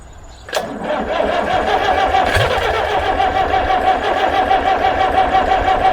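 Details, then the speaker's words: International B414 four-cylinder diesel tractor sat 20 years by a pond, seized and rusty, started with glow plugs: sharp crank, catches quickly, smoky slightly uneven diesel run; first start after long storage, on old oil. "he's smoking away but I think she's gonna go she's um starting the coffin's life"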